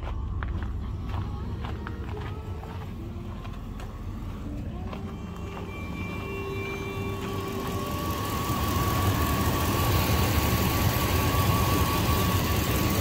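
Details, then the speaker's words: 1999 Dodge Durango SLT V8, sat 14 years, after exhaust manifold reinstall, warming up at idle: light, quick tick about four per second that follows engine speed. Judged valve train noise, not a manifold leak. "I think that's valve train noise I'm hearing and not exhaust manifold leak"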